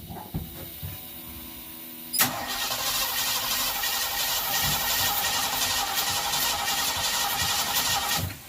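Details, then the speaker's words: Ranchero 351 Cleveland, off the road 20 years, cranked after fitting a cheap new coil: steady starter rhythm about six seconds, never fires; getting fuel, good oil pressure, no spark; crank no start. "right we'll get there we'll get there it's just a small step for sure it's only spark it's getting fuel"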